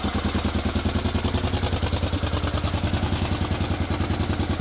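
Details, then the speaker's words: Rebuilt Honda Africa Twin at first start after the idle fix (a restricting spring on the top screw removed); both cylinders fire in regular, even exhaust pulses with no misses, and tick-over is about correct. "So she starts beautifully. Tick over is just about bang on, I would say."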